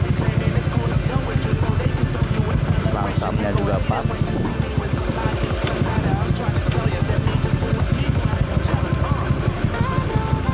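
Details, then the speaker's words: Yamaha Aerox 155 with 63 mm block, R15 V3 head, new KTC 10-hole 160cc injector, open air filter: steady low rumbling idle with loud hollow intake rush, like an air leak, from the open filter. Normal idle. "Saya tahu bahwa saya menggunakan filter terbuka. Jadi suaranya agak keras, seperti ada kebocoran udara ."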